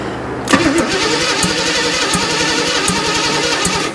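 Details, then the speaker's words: 1979 GMC Heavy-Half with a scrapped carbureted 350 small-block V8, cranking after a starter problem; the starter spins it briskly with even, quick compression beats and no dragging; normal cranking; a small fuel leak is noted. "That definitely sounds better. That was definitely a starter issue."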